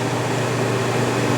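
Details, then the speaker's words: Whitfield pellet stove that only starts after plug removed for a while, restarted after repeated failed attempts: steady, even fan hum with no rattles or surging, now running normally. "I'm trying to start again the store now it's working"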